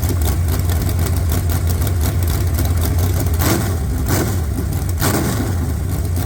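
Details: Fresh 383 V8 for a 1970 Camaro with big hydraulic roller cam, roller rockers, about 11:1 compression, aluminum heads, 750 dual-pumper carb, pump gas: deep loping uneven firing with a couple of sharp throttle blips; healthy engine.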